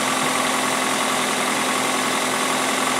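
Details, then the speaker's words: 2003 Toyota Corolla 1.8L with code P0505: steady fast idle at about 1200–1400 rpm with no dip or hunting, far above normal, caused by a faulty idle air control valve before replacement. "cuz right now it's adding at about 12 to, 1400 RPM which is way above what it should be"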